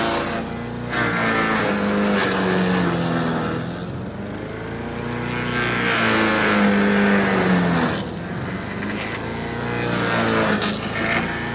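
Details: Troy-Bilt chipper/shredder, rough after carburetor reassembly but now running great, chipping branches on the second day: pitch dips briefly as each branch is fed and recovers quickly, no misfire or knock; normal running under load. Owner suspects rocks damaged the blades.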